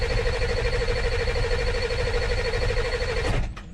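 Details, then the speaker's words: 2000 Ford F450 dump truck, cranking after replacing the IPR valve for lack of high-pressure oil: starter whines about three seconds, turns over without catching; a missing rubber fuel bowl seal was then found, suspected cause of no start. "chased up to here, took the fuel bowl off because I thought something was leaking in there, and ended up finding one of them."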